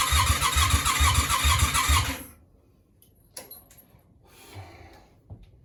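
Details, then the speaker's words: Yamaha Virago 535 project with the engine being refitted and a small fuel leak: two seconds of steady starter churning at about two beats per second, then silence. It cranks but never fires; a compression test is planned, cause not confirmed. "what is wrong with you I don't understand it's not working people we're pretty much exactly the same position we was in"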